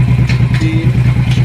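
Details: Royal Enfield Thunderbird 500 fuel-injected, which stalled under load, after fuel pump and sensor work: even single-cylinder thump about eight beats a second, steady with no stumble or clatter; idles healthy in gear.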